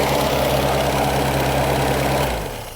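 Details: 1998 Reliant Robin Mk2 barn-find petrol engine ticking over at a steady, even idle with a low regular beat, then dying away as shut off (no coolant yet); after carburettor rebuild and throttle return fix, no leaks.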